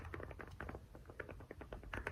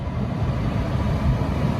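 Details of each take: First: Toyota/Lexus CT200h interior A/C blower fan motor: fast uneven ticking and rattling because the stator has moved about half a centimetre along its bearing housing; fixed by gluing it back. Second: Lexus CT200h A/C blower fan after fixing a rattle caused by the stator moving on the bearing housing, reassembled, at full speed in the car; steady even rush of air with no ticking or rattle, normal.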